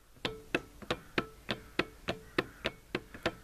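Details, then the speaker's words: 12 V wind turbine rated 400 W with loose blades, turned by hand with the blades off and the camera close: a sharp click about three times per rotation-paced second. The back bearing feels collapsed and is suspected of possibly destroying the generator. "it feels like the back bearing has collapsed that could have destroyed the generator"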